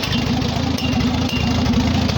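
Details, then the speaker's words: Farmall H tractor idling with a new proper exhaust pipe, after a carburetor rebuild that stopped a leak, and fresh oil: deep, loud, regular exhaust chuff at steady idle, no stumbles or misses; running smoothly. "so yeah that's what she sounds like now that i rebuilt the carburetor i don't have to worry about running the carburetor out of gas so it don't leak anymore which is nice"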